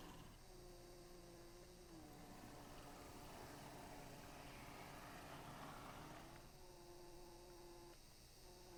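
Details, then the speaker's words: Accurascale Class 60 model locomotive, final demonstration after the fix: faint steady motor whir at even pitch, no squeak or chatter; the out-of-box squeak is solved and it runs in complete silence. "So now it runs in complete silence."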